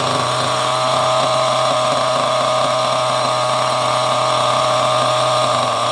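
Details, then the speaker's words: Small nitro RC car engine, restarted from nearly cold after being fixed, gives a high-pitched buzzy two-stroke drone holding steady without stumbling or cutting out; it runs clean. "Anyway, so this is actually running really well."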